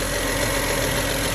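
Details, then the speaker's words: 2009 BMW 535i after oil pan gasket replacement and 7 quarts of fresh full synthetic oil: steady, even, smooth idle with no stumble or ticking. "Hear that idle? Purrs like a kitty."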